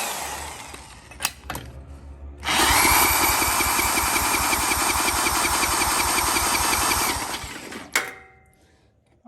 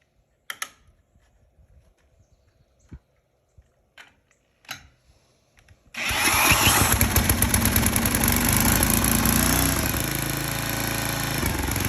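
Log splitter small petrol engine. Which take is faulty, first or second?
first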